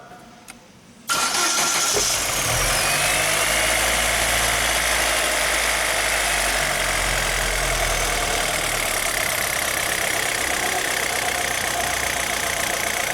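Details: Chevrolet Zafira 2.0 after the horrible noise traced to the water pump was repaired: engine catches at once and settles into a smooth, even idle with no knocking, whining or rattling; now quiet and healthy.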